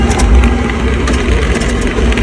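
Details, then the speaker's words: Sta Rite Max E Therm pool/spa heater starts, clicks, then shudders with a heavy low rumble and loose rattling before shutting off; cause is a bad bypass valve, to be fixed by replacing the bypass assembly. "Everything's shaking. Okay, that means we have a bad bypass valve in here. Okay, when you hear that rattling in there, this little piece here is what's rattling."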